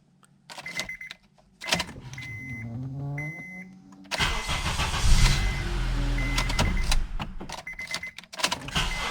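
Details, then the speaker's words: 2003–2007 Honda Accord after ignition/steering switch replacement (part 35130-SAA-J51), final test: dash chimes, one short crank, engine catches at once and settles to even idle; starts normally every time, previously only electrical noise at the switch and no start. "como se puede ver con esta llave arranca de manera completamente normal sin fallar ninguna vez"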